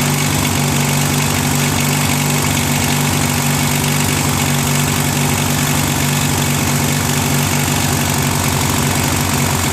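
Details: Briggs & Stratton 16HP opposed twin, a trash find whose carb lacked a jet, first start on full choke, mounted on a Murray tractor: a hunting idle swelling and dipping over a low drone. Owner says the carb idle screw needs adjusting, as holding it smoothed it.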